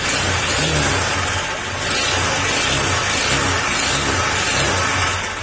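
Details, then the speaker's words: Honda Click 125 scooter, about 60,255 on the odometer, revving with a metallic clatter over the engine that grows with revs; side cover removed ruled out pulley, slider pieces and backplate, so the knock comes from the crankshaft connecting rod. "Dahil saktong-sakto, nangangaroling sa akin yan. Ay bibigyan ko ng connecting rod."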